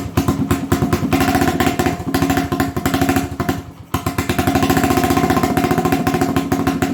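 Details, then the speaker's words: 1980 Honda XL250S, bad idle, adjusting carburetor mixture: single-cylinder thumping that falters and sags, a stutter when set slightly richer than middle; leaner than middle it shuts off. Mixture cause suspected, not confirmed. "so if i make it a little richer from the middle that causes it this butter if i make it leaner from where it is in the middle it just shuts off"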